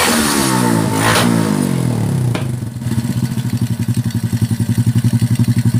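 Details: Honda Supra X125/Kharisma small single with a low-power complaint, after adjusting a timing mark position: quick rev falls back to steady, even putter of about four pulses a second; clean run and steady idle.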